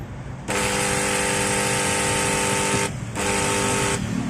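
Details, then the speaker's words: Makita 9553B angle grinder, weak with reported burning smell, shaft turns freely by hand: loud steady buzzing hum in two runs, motor spins slowly and never runs up freely; no burning smell yet, cause unclear. "bisa kalian lihat dan dengar sendiri ya suaranya berdengung dan putarannya lambat tapi ini belum tercium aroma bau gosong"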